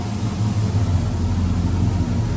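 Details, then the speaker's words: 1979 Toyota pickup with LS V8 swap, Holley Terminator X Max, eBay headers (one possibly barely leaking): low, steady rumble, even beat, no ticks, misses or surges; normal smooth quiet idle. "and you can see it's very quiet. I mean, on the street, unless you're really in it, you don't really know what's in it, you know."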